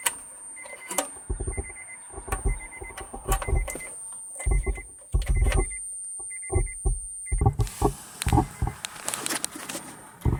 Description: Lately My Subwoofer is making a weird noise! It just sounds like crackling and I just search all over the internet and it doesnt change!